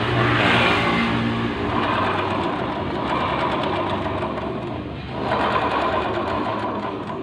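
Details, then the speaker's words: Honda Vario 125 scooter with rear wheel spinning: harsh gravelly rumble with rapid rattly pulsing from the CVT; worn CVT pulley bearings (front pulley or clutch bearing suspected), before disassembly. "Jadi untuk CCTV yang kasar sekali ini kerusakan ada di apa ini, di laker puli, di kaca puli ya. Jadi kalau untuk jalan itu kasar sekali, suaranya sangat berisik di CCTV-nya."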